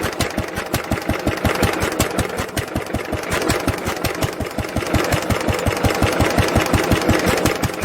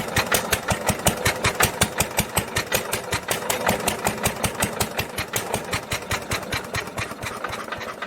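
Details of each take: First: 1946 International LBBR 3-5 hp hopper-cooled single-cylinder engine off a hay press, with a homemade glasspack muffler fitted: regular, evenly spaced firing pulses at a constant pace with a smooth, damped exhaust note; normal running. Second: 1946 International LBBR 3-5 hp hopper-cooled engine off a hay press, with its muffler before the swap: sharp, evenly spaced exhaust cracks about 160 a minute over light mechanical clatter; harsh, barking note.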